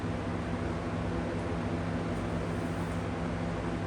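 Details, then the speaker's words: Replacement McGraw Edison comfort fan running: even steady airy rush with soft low hum, same hum as the original fan but no vibration or rattle, normal fan running. "Yeah, it's definitely very smooth."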